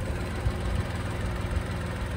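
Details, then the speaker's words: 6-year-old Tata Nexon XM, heard from outside the car: low steady idle rumble with even beat, no knocks or ticks; normal idle. "आणि बाहेर गेल्यानंतर हा पहा, हा काही आवाज आहे इंजिनचा 6 वर्षानंतर."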